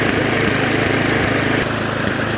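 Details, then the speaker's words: Previously non-running neglected Victa Sprinter mower, warming up before oil change: runs fairly steadily but spits occasionally while burning off oil in cylinder/muffler; owner unsure of debris in fuel tank, governor spring dodgy. "she's cleared her throat pretty well now just giving the occasional spit"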